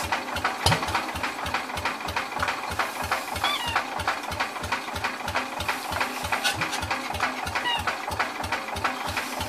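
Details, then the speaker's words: Cub Cadet Original tractor (1953 or 1963), long unused, cranked on battery: steady chuffing, half-catches but won't run; carburetor stuck, owner plans to remove the intake and spray directly in; cranking but not starting. "it's trying I think what I need to do I need to take the um intake off this thing so I can spray direct into it"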